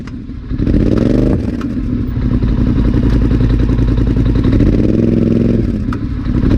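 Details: Polaris Sportsman ATV, 29 hours, clunking began right after first dealer service: revs rise and fall with sharp clunks on throttle on and off; source unconfirmed.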